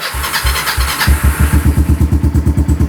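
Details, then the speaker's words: Kawasaki Lakota quad with new exhaust and rejetted carb, sat a couple days, started without choke: single cylinder fires immediately into even deep mellow thumping idle, about three beats a second; clean healthy cold start. "Well, it started right up. Sure sounds good. I'm gonna let it warm up for a second because it's been sitting for a couple days."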